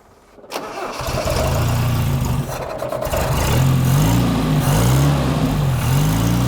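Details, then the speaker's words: Toyota RA28 Celica Fastback, just restarted with a quarter choke on a warm day: the engine catches and settles, but the idle wavers and hunts. Owner is unsure whether the right vacuum lines are blocked off. Rough idle, engine viable. "all right so that's running pretty well it's not idling as it should uh but like i'm not really sure whether i've blocked off the right amount of vacuum lines and things like that"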